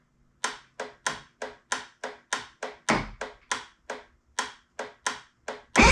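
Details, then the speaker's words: 1976 Aqua Sport bass boat, Mercury outboard, after solenoid replacement: sharp single clicks about 2.5 a second with no cranking, then a short burst; still the same fault, as if not getting full voltage, so the owner plans to replace the starter. "hmm interesting still got the same issue it did kind of kick over a little bit so it's probably a little bit better but it's almost like it's not getting full Voltage"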